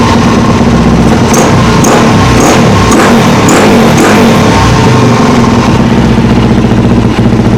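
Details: Friend's carbureted single-cylinder bike after carburettor rebuild with new accelerator pump diaphragm: thumping idle, sharp throttle blips stumble and flatten, bogging; owner suspects low fuel on reserve or earlier air leak from loose clamps, not confirmed.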